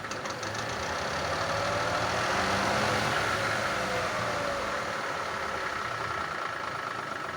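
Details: Chevrolet drivetrain hum with a light, regular clatter about four a second; not the bearing, wheel slightly out of true, suspected worn CV joint.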